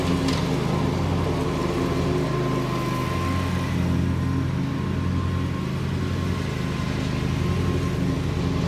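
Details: Bobcat Predator Pro zero-turn with Generac engine after repair for bogging in tall grass, sharpened and balanced blades, mowing: steady even drone, no bogging or surging under load; couldn't make it bog, considered fixed.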